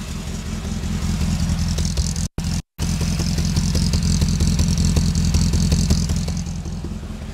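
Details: 1980 Porsche 924 first run after decades parked; low exhaust burble at idle with uneven pulses and occasional stumble, mic held near engine and exhaust; still needs work, running rough.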